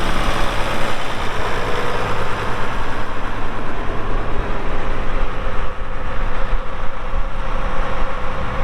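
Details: 1979 International 986 2WD diesel tractor, hour meter reads 2,321 (estimated about 3,200 hours), fired up for an operational check: deep steady diesel rumble with an even low beat, no knocks or misses; normal healthy idle.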